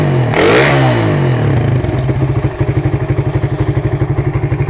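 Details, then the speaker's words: Suzuki Satria FU with a PWL/PE28 28 mm carburettor, cleaned and re-jetted (main and pilot jets) to cure hesitation when throttled, air screw now set; clean throttle blip then even steady idle about four pops a second; carb seems right; normal revving and idle. "nampaknya kendor oke ya Jadi karbunya ini sudah pas sepertinya ya"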